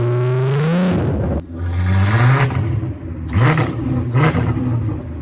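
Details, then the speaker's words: VW Caddy MK1 with a swapped-in VR6 3.2, on its first test drive with no exhaust fitted: a loud open-pipe snarl rising and falling cleanly with each throttle blip, no knocks or rattles. Revs freely and healthy. "maybe I got a little bit excited with revving it, but can you blame me?"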